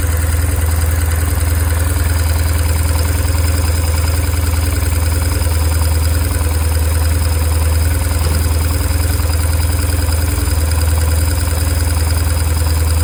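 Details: 2002 BMW R1150R boxer twin at idle: steady throb with a light, regular clatter about four times a second; engine noise issue, cause unclear.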